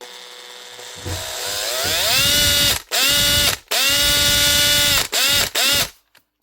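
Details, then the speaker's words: Makita BHP452 cordless drill (2011), customer suspects burnt out; runs in short bursts with high whining motor note and ragged clicking, likely burnt armature plus worn brush ring and brushes. "more than likely that'll be the armature. If it's just the armature, it won't be so bad. I would imagine it'll be the brush ring as well, plus brushes."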